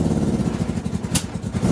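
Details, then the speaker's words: Go-kart engine: uneven, stumbling beat with irregular pops and drops; the misfire turned out to be fuel starvation because the fuel pump switch was off. "So that actually sounded like fuel starvation from the switch being off."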